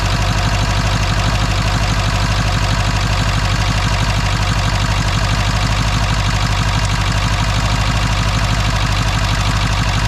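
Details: Ford F250 7.3 Powerstroke diesel after the injector replacement was fixed: steady, even clatter at idle with a solid low rumble and no misses. High-pressure oil pump reached 3,200 psi at start; at idle about 780 psi with IPR 17.8%. Healthy idle.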